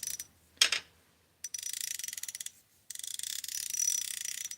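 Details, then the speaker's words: Stock drag clicker on a Daiwa Zillion baitcasting reel: crisp, rapid high-pitched clicking in short bursts as the spool is pulled; loud, healthy clicker, judged far better sounding than a quieter reel's. "That is a way better sound, in my opinion."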